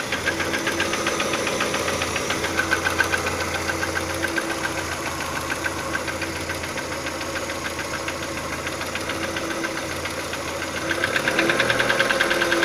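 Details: Audi 80 B3 1.8 with an unexplained engine knock. Steady idle with a light repeated knock about twice a second, growing a bit louder as revs rise.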